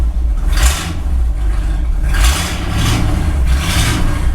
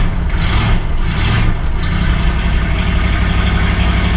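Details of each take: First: 1964 Ford Galaxie 500 V8 just restarted after 15 years sitting, new condenser, idling: deep rumble with raspy blatting bursts about every second, no valve tick; exhaust in terrible shape, sounds bad. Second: 1964 Ford Galaxie 500 V8 after sitting 15 years, new condenser and points set: deep even rumble settling into steady idle, no ticking or knocking; fired right up, running smoothly.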